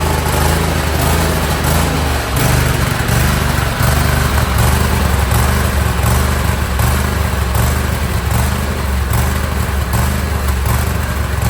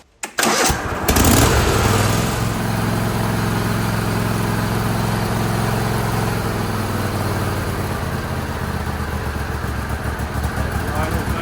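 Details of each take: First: John Deere L130 lawn tractor with Kohler Command 23 hp V-twin at idle: uneven, rising and falling hunting beat, worsening since last season; lean pilot mixture blamed. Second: John Deere L130 lawn tractor with a Kohler Command 23 hp V-twin that had been hunting and surging. After the carburetor screw was turned out half a turn, it starts and settles into a steady, even run.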